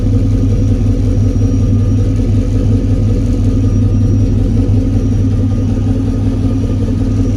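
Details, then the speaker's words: Volkswagen Squareback with a 4.8 LS V8 rebuilt from long block, first start after sitting: steady, even low rumble at idle with no knocks or misses. Oil pressure is 39 psi and idle is 650 rpm on target; the owner hears a couple of lifters still ticking, probably from sitting. "no badass i don't like how quiet it is now sounds like got a couple lifters are still making noise probably just from it sitting 39 pounds of oil pressure finally it 650 which is what i had it's set to target"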